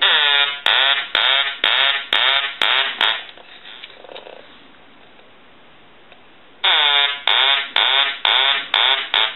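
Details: Duck-shaped novelty telephone under repair (won't dial out, no transmit, one light not lighting on ring): loud nasal quacks about twice a second in two ring bursts with a quiet gap; ringer works properly.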